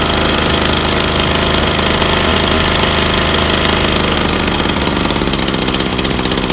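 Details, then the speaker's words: Backpack sprayer 2-stroke engine on a first cold start, choke put down after it turned over: busy, even buzz at half throttle with steady firing and no stumbles; running smoothly. "then we'll put the choke down pull it again and it should run smoothly"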